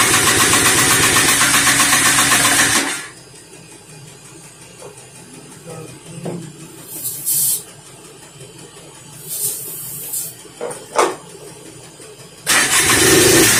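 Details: 1988 Polaris Trail Boss 250 R/ES two-stroke after long storage, gas with two-stroke oil, cold start on carb cleaner: buzzy engine runs loud about three seconds then cuts to near silence, barely running; carb rebuild planned.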